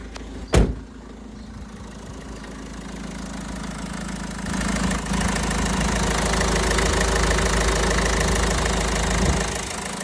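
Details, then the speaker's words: Renault Trafic diesel van, about 232,000 miles, after replacing the noisy alternator: steady, even diesel drone that builds and holds after a brief knock, no whine or chirp; sounds spot on after a test drive. "Yeah, much better now. Right. Right. So, there you are, guys. Um, I've just, uh, test driven the van. It all sounds spot on now."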